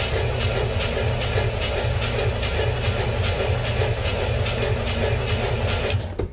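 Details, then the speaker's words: 1967 Chevy C-10 gas engine on its first cold start after sitting about 45 days; a long run of steady cranking lasting several seconds without catching cleanly, a stubborn hard start. "well it's being stubborn i like to let her sit here and warm up for a bit"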